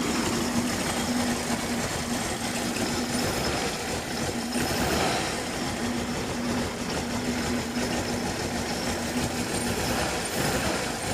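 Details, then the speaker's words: Cold start of an old carbureted car engine: uneven, lumpy idle with occasional stumbles and slight smoke, a really bad misfire while cold after carb work; cause not yet found. "let's start Oh when it's cold it has a really bad misfire"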